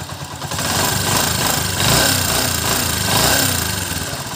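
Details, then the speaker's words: Honda TMX 125 engine warmed up, cylinder head hot, with the valve clearance just adjusted to the standard 0.08 mm; steady run with a light quick tapping of about three or four a second, minimal and within spec (0.06 mm possible if quieter wanted): normal hot valve tick. "Ayan medyo uminit na siya ayan oh umiinit na yung cylinder head pero yung tunog niya is nagkameron siya ng minimal na lagati so 0.08 Okay lang siya Normal lang siya sa t kasi yun yung standard niya"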